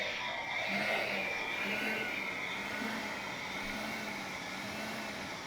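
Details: VW B5.5 Passat secondary air injection pump commanded on through the J299 relay during diagnostics for P0411/P0491: steady high-pitched electric whir with even tone, no rattle or grinding; pump running properly.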